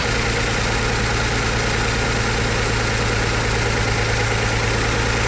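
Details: 2008 Mazda CX-9 V6 idling with an uneven, lumpy beat: cylinder 1 misfire, code P0201 injector one open circuit, injector not firing.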